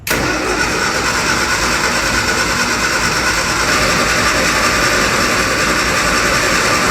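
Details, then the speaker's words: Classic Mini cranks with a steady, fast-churning starter but never catches or fires. Fuel is present and can be smelled, but no fuel pump is heard. It doesn't seem to be sparking. "Doesn't sound like it's sparking, but there is fuel there. I can smell it."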